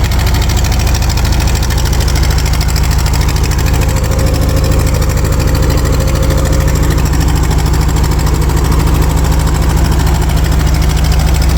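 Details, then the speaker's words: Early-to-mid 1980s Ford 302 small-block V8 on cold start with choke held: a slow, even idle with a puffing beat about three per second and a low drone. Small exhaust leak, and the idle is a little low. "does have a little bit of an exhaust Leake there I have a new one these little clamps for it"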